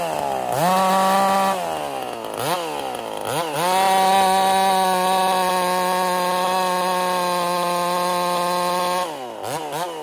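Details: Ported Husqvarna 55 chainsaw: revs up, then settles into a lower labouring note in the cut, never screaming out; lost over 1,000 RPM in about half a tank, new coil didn't fix it; losing power.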